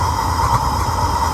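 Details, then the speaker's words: Smudge-pot style waste oil burner being lit with a torch while the oil is still cold: low rhythmic puffing under a steady roar as it draws air back through its recirculation tube during startup. "hear it puffing that's it drawing air back through that recirculation tube that we got over there"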